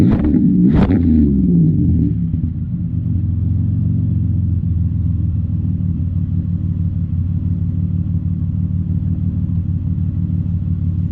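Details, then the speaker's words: Chevrolet Impala, warm, after shop replaced holed exhaust pipe section: quick rev blip falls to smooth deep even idle rumble, no ticking, rasp or leak puff, much quieter than before; exhaust sealed, normal at idle. "So as you guys can tell, it's a lot quieter. We'll head inside and see what it sounds like from the interior. So big difference from before. You can hardly even hear it."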